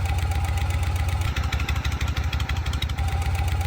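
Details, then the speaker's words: Shovelhead V-twin at idle, as it used to sound: loping idle with light rhythmic tapping about three a second; owner feels a hint of noise in remaining rear lifter, later swapped for another S&S lifter. "this is what it used to sound like but i feel like there's a hint of something in the remaining wheel lifter"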